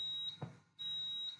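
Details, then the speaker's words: ATS8600 fire alarm panel linked via ZP2 Modbus PAK, after reset: steady high-pitched fault buzzer briefly cuts out when muted then resumes as the panel re-detects a faulted device; fire alarm panel fault buzzer. "the panel has reset on this side you should be able to hear the beeping as well so we mute the buzzer"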